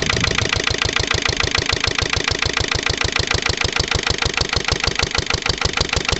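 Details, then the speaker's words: Lister LD1 single-cylinder diesel on a chilly 5–6° morning, a month and a half after a fuel filter change and bleed: a hard, lumpy, uneven beat at low speed, nearly stalling under light load and making smoke. Rough running; owner suspects a fuel system fault. "it mean that's not good at all that created a bit of a um a bit of a smoke screen that anyway s clearly isn't right with the old"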